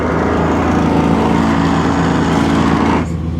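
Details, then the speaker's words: 1994 Pontiac Firebird Trans Am: one pop-up headlight makes about three seconds of coarse, labored mechanical grinding when the lights are switched off, stopping abruptly once the headlight finishes retracting. "It made a horrible noise though when I turn these lights off. It's that one."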